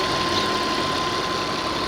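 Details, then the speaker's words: 2003 Audi Allroad Quattro 2.7L twin turbo, automatic, AWD, warm after about 20 minutes running, check-engine light with 8 codes: short even engine hum, no knocks or ticks; smooth, strong engine. "it sounds like it runs okay it is pretty smooth"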